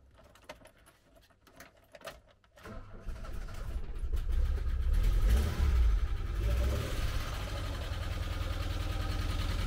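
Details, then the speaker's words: 1985 VW T25 camper bought as non-runner, exhaust manifold off, suspected poor earth: cranks, catches, settles to high choke idle with steady tapping about four per second; won't idle off choke; owner suspects loose valve adjustment screws on one side. "I've also ordered some valve adjustment screws for this side because they're all quite loose and I think that's where all the tapping noises are coming from"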